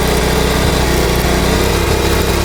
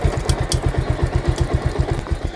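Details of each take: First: Bajaj Pulsar motorcycle in gear after chain noise fix; revs then steady thumping idle with no chain slapping or rubbing, quiet like a new chain; normal. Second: Bajaj Pulsar motorcycle in gear with noise louder when revved; regular low engine thumping with light scraping ticks on top, chain suspected rubbing the swingarm where the rubber slider sits, not confirmed.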